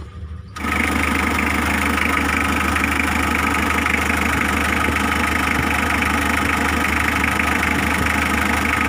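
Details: Mitsubishi L300 diesel, restarted while fixing a glow plug relay that clicked "klik-klok" with the engine running: it catches and settles into a steady, even idle with a soft regular clatter and no stumbling. Normal idle.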